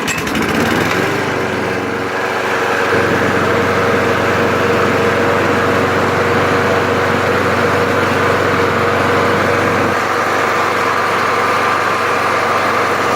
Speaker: It's definitely a good running mower, and so that's another reason why I'm hanging on to it.